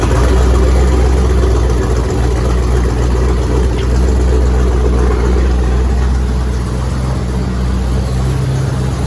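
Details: Freshly reassembled carbureted engine (coil, distributor, hoses just hooked up) idles deep and steady, even low thump about four beats a second, no stumbling. Started without priming or starter fluid, slight shake; normal idle.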